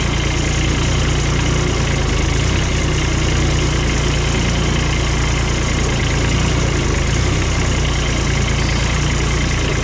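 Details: Cushman diesel mower engine, long out of service with filters dated 2019 and an allegedly bad hydraulic pump, started up: steady low diesel clatter with an even beat, no misses or knocks; runs smooth and healthy.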